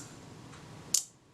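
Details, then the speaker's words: Kodak Retina IIIc shutter after adjusting the retard gear train engagement screw: one sharp snap with the slow-speed gear train buzzing only briefly; at 1/15 it is definitely fast, needing more engagement. "Set this in position, set it to 1/8. If anything, that sounds very slightly fast."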